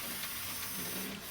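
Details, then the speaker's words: Graham Farish N-gauge Hall locomotive after lubricating the armature bearings to cure a squeak, running forward: smooth, steady high-pitched motor hum with no squeak or catching. "Oh, sorry, it's actually in the forward direction. Yep, that sounds nice."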